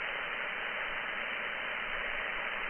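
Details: Radio frequency interference hunt on a receiver, antenna at zero gain, band zoomed in near 2.692, household equipment switched off via the circuit breakers: constant, even hiss swamping the band, source not yet found.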